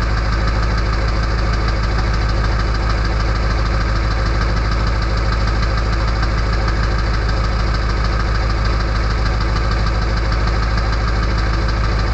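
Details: Early 1999 Ford F-250 diesel, cold start at 34°F on high idle with the EBPV closed, which gives a loud whistle: heavy, steady diesel clatter with a deep even rumble; normal cold high idle.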